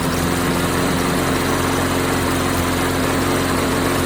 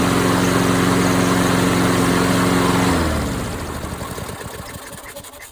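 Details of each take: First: Lawnflite MTD lawnmower repowered with a swapped-in Tecumseh engine, first run: fast uneven idle with occasional stumble, running with a hiccup but not smooth; owner wonders about changing the carb, cause unconfirmed. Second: MTD Lawnflite lawn mower repowered with a swapped-in Tecumseh engine: runs smooth and even for a few seconds, then shuts off and coasts down quietly; normal running. Owner suspects an oil leak.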